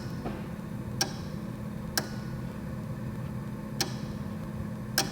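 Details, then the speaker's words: Supercharged E92 M3, ignition on after wiring a pump: four sharp relay clicks a second or more apart over a low hum, no pump whir; relay activates but pump doesn't run, poor pump ground suspected. "so the relay is activating you can hear it click but the pump is not coming on"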